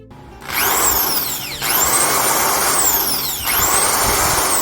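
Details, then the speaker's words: Black & Decker HM13 electric drill after carbon brush replacement: strong, even high motor whine winds up and holds speed with no crackle or stutter, full torque and no sparking seen inside; normal drill motor run. "As you can hear, the torque is in full power again and no spark is seen from inside."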